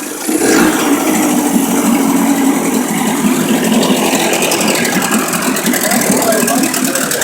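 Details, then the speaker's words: Rebuilt boat outboard motor rigged with cables as if on water: fires right up, steady even idle with smooth mid-pitched hum, no misses, knocks or surging; sounds like a brand new motor. "looks pretty good. Sounds like a brand new motor."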